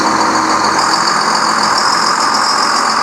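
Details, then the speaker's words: 4960 tractor just put back together after sitting dead nearly a year, driven on the road and warmed up: steady, even diesel drone with no knocks, misses or rattles; the engine sounds normal. "think she sounds normal it's got my swinging dangle berry there on the front sweet-looking tractor"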